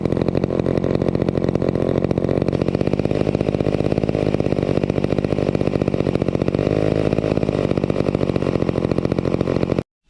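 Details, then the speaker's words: Vintage McCulloch 250 chainsaw after restoration, running: the small two-stroke buzzes steadily at a fast, even idle, with smooth firing pulses and no misses or surging. It purred along and ran fairly well. Normal running. "as you saw with the 250 we got it up and running really nicely it it purred along and um seemed to run Fair fairly well"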